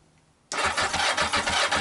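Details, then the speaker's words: Yamaha XJ900S motorcycle, new oil and filter, after spark restored: starter kicks in and engine churns in even, laboured pulses without firing; owner suspects battery low after hours of wiring work. "think the battery might need a bit more charge because I've been messing about with it for hours trying to sort the wires out."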